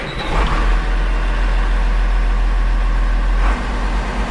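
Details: Case IH 7130 Magnum tractor with about 3,300 hours that started and died, after replacing the failed cab solenoid. Deep, steady diesel rumble with no stumble; it starts and keeps running normally.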